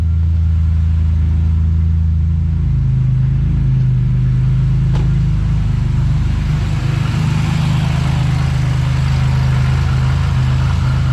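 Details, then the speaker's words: Buick GS after a Big 3 power and ground wiring upgrade, started in the rain with the A/C off, showing 14.4 volts. A deep, even idle rumble that holds steady with no knocks or misses, a normal idle. "Start it up. As y'all can see, we have 14.4 volts."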